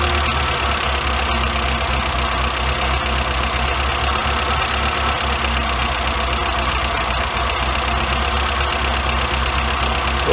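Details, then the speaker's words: Warm engine with Weber 38 DGAS carburettor, both idle screws backed out as a starting point: high, busy idle with a steady even beat, idle speed too high and mixture too rich so it will start. "so your your idle speed is now too high and your idle mixture is too rich so you know it will start"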